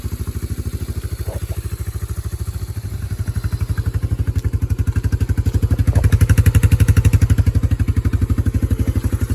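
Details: Yamaha Moto 4 (225/250) ATV single after bent-valve rebuild and exhaust valve clearance set to 0.006: steady even thump near four beats a second, picking up cleanly with throttle, no tapping or clicking. Normal idle and revving.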